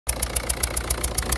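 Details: 1.6 HDi diesel with blue smoke and an unstable idle: a sharp tick about seven times a second over an uneven beat. A leaking injector seal is suspected.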